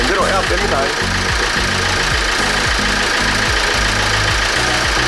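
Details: Kia Grand Carnival R diesel engine after repair of a ticking noise, with cleaning and replacement of belt, water pump, glow plugs, sensors, injectors and damper: even, steady idle with a regular low thrum, no knocks or rattles; healthy.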